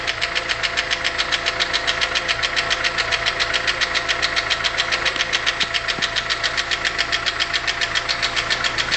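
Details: Hydraulic lifter tick on a VW Polo 6N 1.4L at idle: sharp, very regular tick about 1.5 per second; engine had lost power, was juddering and sounded bad, caused by a defective hydraulic lifter with a hole in it.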